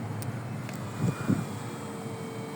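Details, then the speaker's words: Citroen C4 Picasso interior blower, engine running, after replacing the dead fan: soft steady fan hum with a faint even tone, quiet at maximum speed and settling as speed is turned down; no rubbing or ticking, healthy blower. "So, we can hear the fans coming on. And if we select our fans, can hear our fan working. Look like our fan balancing is working. Nice silent fan on maximum speed as we reduce the speed."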